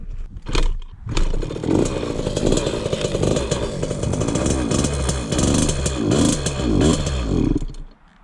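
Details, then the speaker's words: 2003 KTM 50 Mini Adventure 50cc two-stroke, long-stored, before carb work, fuel likely over-oiled: ragged buzz, revs sag and stumble when throttle opens, then it dies; won't idle, bogging and stalling. "We got this KTM Mini Adventure and it doesn't really want to idle well. It just bogs out when you give it gas and dies."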